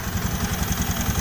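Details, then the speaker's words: Honda Beat ESP scooter after repair, now starting without jumper wires, previously stuttering with dead speedometer and ECU fault: steady, even low putter with a soft regular pulse and no misses or knocks; normal idle. "oke nih sekarang motor2 normal"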